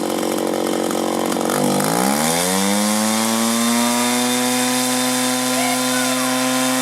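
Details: 1983 Echo PB400E two-cycle blower, warmed up and throttled up: rises from a bog around two seconds into a clean, steady high-pitched scream held evenly; normal at high throttle.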